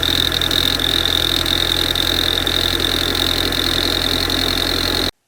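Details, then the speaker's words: 2012 VW GTI with about 70,000 miles, cold start: steady, piercing high-pitched metallic screech that goes away after driving; the owner wondered about the PCV valve or a leak, but it sounds metallic instead, cause unconfirmed. "the noise that it sounds like to me from that video does not sound like a PCV squeal or a leak of any kind that sounds like a metallic noise to me uh and that's a little bit concerning"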